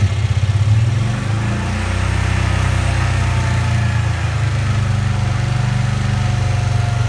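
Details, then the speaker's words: 1965 Cushman Truckster after sitting over a year: lumpy, uneven low beat about four pulses a second that never smooths; rough running, rich, owner blames a stuck choke valve. "it's got like it's got a stuck choke valve on so it's not the floral that's the problem it's the choke I pulled the lever on this but it doesn't want to properly accelerate"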